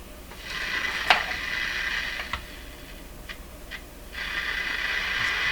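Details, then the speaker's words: Sony TR-712 transistor radio after electrolytic capacitor replacement, signal generator loosely looped to antenna, tuned near middle of band: harsh hissy crackle rising and dropping in uneven bursts; abnormal reception noise, cause unknown. "that antenna so much what is going on there it's not supposed to sound like that"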